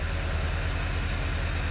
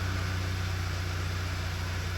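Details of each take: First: 2009 VW Eos 2.0T with 144,000 miles and a flashing check engine light, idling low and uneven with a regular stumble. The misfire counter shows cylinder three; an ignition coil is the suspected culprit, possibly worn plugs. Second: 2009 Volkswagen Eos 2.0T idling smoothly and evenly with a steady low hum after replacing a faulty ignition coil that caused a flashing check engine light and misfire; misfire counter clean so far.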